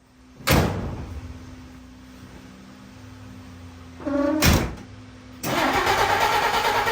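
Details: 1952 Dodge Wayfarer six after swapping the coil cable: the starter spins in short bursts but the engine never catches; owner suspects points or spark.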